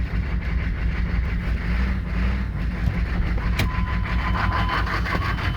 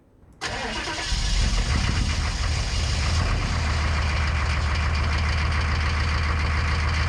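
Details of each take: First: 1990s Chevrolet K3500 1-ton diesel pickup on first rough start at about 50°F, smoky: heavy, uneven loping rattly idle, sounding like a giant cam; the pump driver is missing its fuel calibration resistor, possibly upsetting injection pump fueling. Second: 1990s Chevrolet K3500 1-ton diesel on a bitter-cold foggy morning after the calibration resistor fix: short crank, catches quickly, settles into a steady even idle clatter; a little black then white smoke, a healthy cold start.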